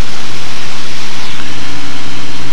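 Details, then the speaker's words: RV7 on an engine run-up into the wind at 2,000 RPM, read on a Dynon digital tach, engine warming up. A loud, even propeller drone holds constant with no misses or surging. All gauges are in the green; a normal, healthy run-up. "It's all digital here on a Dynon, so we're going to power up into the wind at a 2,000 RPM. Everything's on the green. Everything's looking normal."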